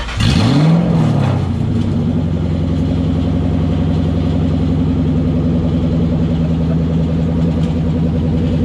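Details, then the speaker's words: '97 Ford Mustang Cobra with the driveshaft out for removal of an exploded clutch, exhaust disconnected at the headers: it catches and flares, then settles into a loud, raw, crackling lope with no muffling, the roar of open headers. "oh that's obnoxious dude that sounded disgusting i don't ever want to hear that again"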